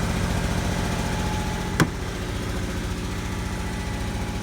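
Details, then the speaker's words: Toyota 4Runner after donor engine, transmission and harness swap, no airbox, slightly high idle: rough idle with fast uneven puffing tick on engine pulses; owner says exhaust leak, not confirmed. "On both sides. Got an exhaust leak."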